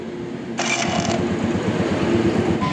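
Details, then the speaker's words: Hero Honda Passion Pro motorcycle, electric self-starter that normally makes a loud noise on starting: this start has a brief clean starter whir into steady single-cylinder patter, no grinding or clatter; normal electric start. "और अब सुनना देखो बिना sound के start हो गई"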